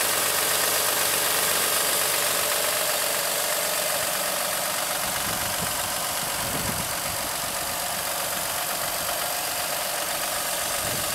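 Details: 2007 Acura MDX engine at idle; a steady quick knock about four per second under the engine, caused by a faulty power steering belt tensioner, and replacing it stopped the knock.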